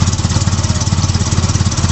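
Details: Honda Prelude with H23A1 engine starts only with throttle floored and won't rev past 500-600 rpm even at wide open throttle: slow heavy pulsing about a dozen beats a second holding flat, never climbing; won't rev above idle.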